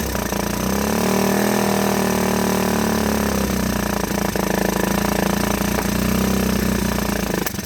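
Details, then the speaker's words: 1984 Honda ATC 125 in neutral after a carburetor swap and fuel tank flush, having likely sat a good while. Steady single-cylinder putter at a low, even idle with no knocks or misses; normal idle. "she is idling I don't know how long she sat before she ran I'm guessing a good while"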